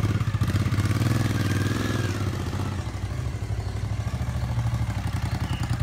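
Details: 1997 Suzuki TL1000S V-twin, new fuel pump, repaired muffler, first ride: low thumping beat sagging mid-pull instead of picking up cleanly; bogging under throttle, owner suspects misrouted airbox vacuum hose.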